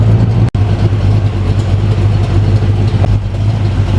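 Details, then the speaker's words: Jaguar with 350 Chevy V8 after fitting 1.6 offset rockers: deep, lumpy idle with a steady choppy beat, a bit more lump and chop than before, no knocking or ticking; runs healthy. "so she's running and we'll do a comparison so to me it sounds like it's got a bit more of a lump to it"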